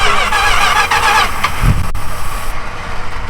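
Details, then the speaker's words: 1965 Chrysler wagon V8 with cherry bomb mufflers, throttle previously stuck: catches and settles into loose, rumbly idle through loud, throaty exhaust, no knocks or rattles; runs normally. "Okay. She runs. She does. You gotta hear that a You little gotta more. let me hear that exhaust a little more."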